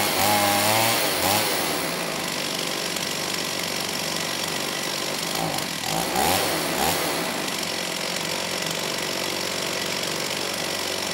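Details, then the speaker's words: STIHL 028 AV Super chainsaw, rebuilt with non-OEM parts after straight-gas burnup; buzzy high idle, choke off, speed wanders and hesitates, poor response coming off idle, slightly lean at high speed, carb tuning trouble; crankcase air leak. "I'd say it's running different but not necessarily better you know this time it's still having a bit of issue coming off a idle you know the engine doesn't really have a good response"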